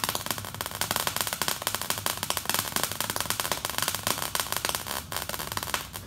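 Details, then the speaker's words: MIG weld on plate at unchanged settings; sharp irregular pops spaced far apart instead of a steady bacon-frying sizzle, with the bead sitting on top of the metal; erratic arc. "okay so you heard that right and uh that was that was more back to the uh where the pops are real far apart definitely not bacing sizzling and frying"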